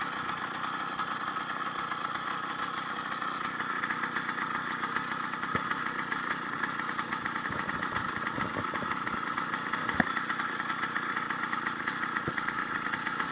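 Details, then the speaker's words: 80cc two-stroke motorized bicycle, upgraded needle-bearing wrist pin kit and fresh rings not yet broken in. At the start of a ride with the clutch handle not fully pulled in: fast, even putter at steady idle, no knock or rattle; healthy. "you can even hear a dramatic difference in revving the motor um got way more power"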